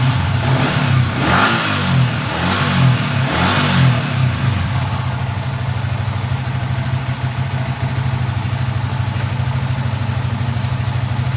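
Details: Yamaha Vixion after rebuilding the cylinder block and piston, which were damaged by late oil changes and had made a harsh knocking noise: a few clean revs, then a smooth, even idle with no knock or rattle.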